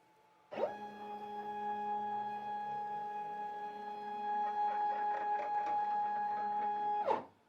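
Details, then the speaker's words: Shapeoko 5 Pro CNC router rapid traversing around the cutting area in X and Y: steady mid-pitched hum with faint whir, a little loud but normal ball screw noise, louder when both axes move together. "level of the machine as it's traversing, as it's rapiding around the cutting area is a little loud, and I think that's just the nature of the beast for the ball screws."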